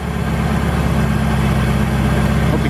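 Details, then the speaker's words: Ford GT-40 V8 in a Ski Nautique boat, cold start at about 70 degrees ambient during IAC valve test: deep steady burble with even beat, idle coming down as it settles; normal. "it's going actually up slowly that means it's building a well and we can hear the idle actually coming down"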